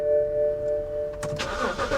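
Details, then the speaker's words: BMW 328 at Copart, service-engine-soon and TPMS lights on: door chime, then a quick crank catches cleanly and settles into a steady, smooth idle; healthy start, runs great. "yeah we'll just leave that hang in there it runs great"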